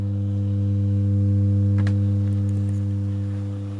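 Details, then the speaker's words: Pye 1113 vintage radio, after sound restored: steady low mains hum at fixed pitch replaces the audio after running a short while; later traced to the driver transistor touching the chassis when the amp board was swung down, not the suspected metal rectifier. "another problem seems to materialize now uh when it's been on for a short while uh it starts to hum"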